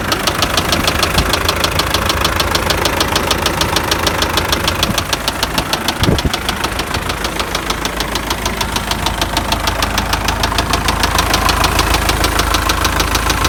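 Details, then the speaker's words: MTZ tractor diesel: a knock appeared while driving and was run about 20 km. A sharp, regular knock about three times a second sits over a steady idle. Teardown found worn crankshaft main bearing shells. "вот она вся причина стука которые было двигателя"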